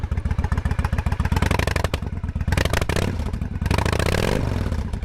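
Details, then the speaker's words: 1998 Honda Shadow 1100 cruiser V-twin with a Stage street kit, cold start on choke: deep, lumpy, even lope through a loud open exhaust, no knocks or misses; cold but sounds nice, a normal cold-start idle. "it is cold but you can hear it sounds nice"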